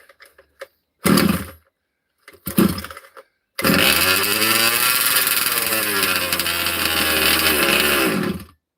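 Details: Cold 2-stroke engine in a 30 Degrees North 5th-scale RC truck, unrun for 2–3 weeks, pull-started without choke: a few short pull bursts, then it catches and settles into a steady buzzy run; clean cold start.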